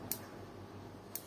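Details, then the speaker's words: Built-in hob whose spark igniter keeps clicking with no knob turned; faint sharp single ticks about once a second. Suspected cause is spilled water under the knobs shorting the switch mechanism; fix is removing the knob and drying it with a hair dryer. "Yes, friends, there is a clicking noise like this from the stove, let's see how we can solve this problem"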